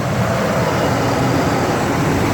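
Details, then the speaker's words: 1979 Cadillac Coupe DeVille V8, about 56,500 original miles, starts right up; deep even idle rumble with no knocks, misses or surging; smooth, good-running idle. "it starts right up runs great idle smooth it's a good running car"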